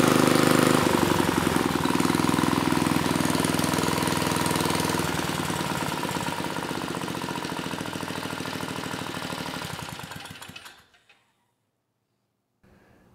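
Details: Mid-1980s Troy-Bilt Junior tiller, 3 hp Tecumseh HS35 engine (H35-45593R), after carburetor cleaning; pilot needle tuned, idle lowered to about 1,000 RPM. Low, steady putter about two and a half beats a second, then dies away at shutdown; normal clean idle.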